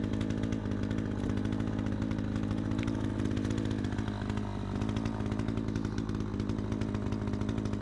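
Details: Troy-Bilt 20-inch chainsaw, first cutting test after carb adjustment, started on choke: a high, steady two-stroke buzz holds revs through the cut without bogging. It runs strong and clean, better than ever; the owner thinks a bit more RPM is available.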